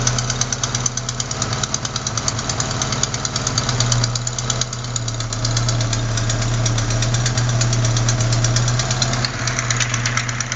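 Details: Fast ticking about three per second over steady idle; not lifters or rocker adjusters but a leaking exhaust manifold gasket at cylinder 4, which replacing the gasket should fix.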